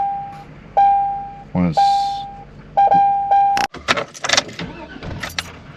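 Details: Chevy at 0° cold, after sitting all day and earlier no-start: door chime pings and keys jingle, short crank, engine catches and settles to a quiet idle; starts fine.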